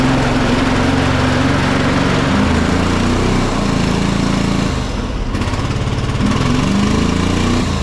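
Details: John Deere 425 riding mower, Kawasaki twin, fuel verified good: an uneven, lumpy engine that bogs and sags under load with little power. It was running on one cylinder because of a bad ignition coil.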